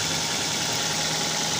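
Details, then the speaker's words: Car with engine running and the negative battery cable pulled off: engine keeps idling steadily under a loud hiss, showing the alternator is still charging; a faulty alternator would let the engine die. "mobil menyala kalau alternator masih bagus atau dinamo ampere ini mau mengisi itu mesin tetap hidup"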